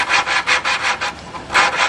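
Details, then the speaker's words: Lawnmower valve job: the valve is lapped by hand on its seat with grinding compound, twisted back and forth under pressure and clear of the lifter, giving gritty rasping strokes about twice a second as the seat is resurfaced to seal. "when you I spin it you hear the grinding sounds showing telling me that it's uh resurfacing the seat to fit the valve and seal well"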